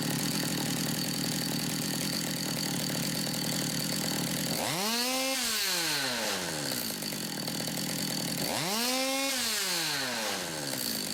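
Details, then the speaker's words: Stihl MS200T chainsaw in for broken centrifugal clutch springs, run up without chain; high buzzy two-stroke idle swells twice into rising revs and falls back cleanly, the clutch picking up smoothly each time. "So you can see that moved out, grabbed hold of that and spun it round."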